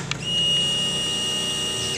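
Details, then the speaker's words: Honda Beat FI scooter that starts hard and stalls, with the fault traced to the injector: at key-on, a clean, steady, high-pitched whir for under two seconds that then cuts off, judged normal by ear. Normal fuel pump prime. "bisa didengar H Berti kan ini kan agak normal ya bagus tekanan Ya aman kalau ini dari pendengaran ya"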